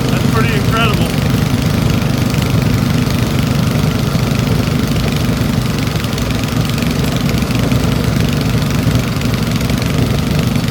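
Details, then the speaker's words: Old Briggs & Stratton engine salvaged from trash, after opening needle valve: steady, even low drone with no misses, knocks or surging, stable idle smooth enough to hold one-handed. "look how smooth that is I can hold it with one hand"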